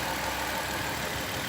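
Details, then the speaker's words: 2005 Dodge Caravan SE wheelchair van with 41k miles, heard under the hood: quiet, even idle with some hiss and no squeals or ticks; the engine runs smooth and healthy. "Okay, under the hood, you can hear it running. No squeals, no ticks."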